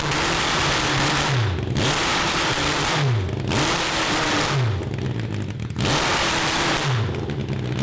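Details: 1982 Honda CB750 carbureted four (cross kart), after jets drilled: revs hard, then stumbles and falls back at the same point about every 1.5 seconds, won't rev past about 4000 rpm, with fire from the exhaust and no black smoke. The owners suspect a lean mixture.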